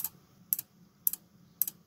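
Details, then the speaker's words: Opened Sylvania SmartPlug during teardown and voltage probing: sharp clicks repeating about twice a second in steady rhythm over a faint hum; relay chattering on and off, supply voltages appear abnormal. "you hear that the relay is just clicking away here"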